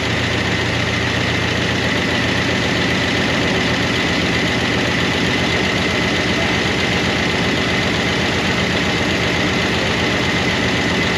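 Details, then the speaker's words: 1988 Monte Carlo SS V8 revived after sitting over 20 years, idling on a temporary fuel tank: a fast, even ticking that follows engine speed from noisy rocker arms that started to quiet but never went fully quiet. "but those rocker arms never did get quiet. It's started to get quiet,"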